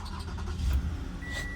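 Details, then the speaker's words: 2015 Toyota Camry no-start, after fuel pump and coils were replaced, with the aftermarket ignition coils found pulling voltage down; engine catches with a short low rumble and keeps running steadily; now starts and runs normally. "I haven't tried it out yet, but I'm going to try to see if the vehicle starts."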